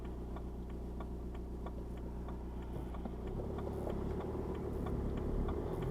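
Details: BMW 1 Series E81 116d 2.0 diesel N47 D20 A, DPF removed, cold start below about 12°C. Light metallic ticking about four times a second over low diesel drone, fading when warm; garages suspect a piece of metal in the exhaust, unconfirmed.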